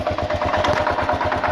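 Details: 2000 Kawasaki KLR650, about 45,000 miles (odometer reads 41k), clutch plates replaced about 1,000 miles earlier, doohickey reportedly done, started 15–30 minutes before: sharp metallic clack on every firing pulse at idle, cause unknown.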